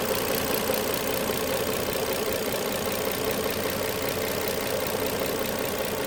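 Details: 2007 Nissan Maxima at idle: steady engine note with a faint, uneven light clicking riding over it; source not yet identified.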